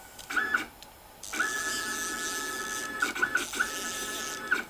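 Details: CNC machine after upgrading to a MACH3 parallel-port TB6600 driver board, jogging the X axis in continuous mode with a wireless handwheel: short bursts of clean, steady high buzz that stop and start with each jog; steppers move smoothly with no grinding or skipping.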